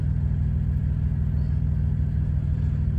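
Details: Thermo King Evolution TriPac truck APU that keeps shutting off: small diesel chugging evenly at low idle, about three pulses a second, deep and steady, no fault heard while it runs.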